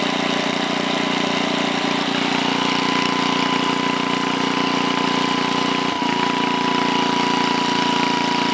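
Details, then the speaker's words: 1968 Briggs & Stratton 7hp 275cc horizontal single-cylinder, model 170402, at 3/4 throttle, no load: steady, even drone at a fast speed with no misses, knocks or hunting; runs just about perfect. "but it ran just about perfect so I'm gonna start it up one more time it's at 3/4 now"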